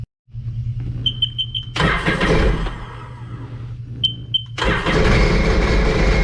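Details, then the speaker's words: The engine cranks, catches, stumbles, then fires again and runs ragged and uneven. This is a 2006 supercharged Sea-Doo Sportster that sat about two years, still on old gas; a supercharger rebuild is suggested. "cranking nice so it runs um not the best I mean the gas is still old"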